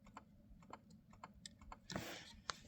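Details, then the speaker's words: 2017 Cadillac CTS-V, theft-recovery auction car: repeated sharp clicks about every half second from the door with no glass movement; power window inoperative, owner suspects motor or regulator. "One of the things is this passenger driver window does not work. That's a big problem for me. Got to get some airflow in here. You can hear it clicking."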